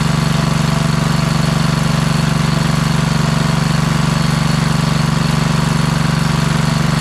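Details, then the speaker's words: Kohler Courage single-cylinder engine repowering a Craftsman LT2000 lawn tractor, after epoxying a crankcase crack: steady idle with an even light tick about four times a second over the thump; owner hears lifter noise, valve train ticking. "so cool so you did hear there are some uh lifter noises"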